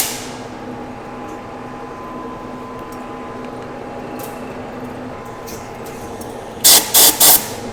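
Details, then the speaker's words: Boring a 19-inch sprocket bore on the Lion lathe, slowed to 125 RPM with a 0.050 in pass: a steady, even cutting hiss with no chatter, which now cleans up fine. "all right we're just coming up to that spot and actually we're in it and it's cut cleaning up just fine"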